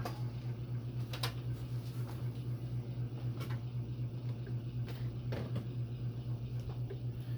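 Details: Phil Frey brass oak leaf antique ceiling fan with Hunter six-blade adapter and 38" Homestead blades, about 211 RPM, running without oil: loud steady hum with rhythmic throb about four per second and ticks; vibration noise, cause uncertain.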